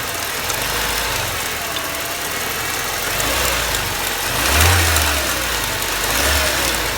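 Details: BMW 318ti with the M42 1.8L engine: light top-end ticking over idle that quickens as revs rise and fall; cause not yet identified.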